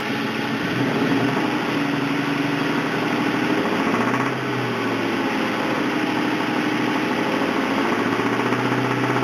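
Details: 1999 Ford Mustang GT, 4.6 two-valve V8 at rough idle: dull rhythmic knock under the exhaust note, steady with engine speed; rod knock after the engine was run low on oil.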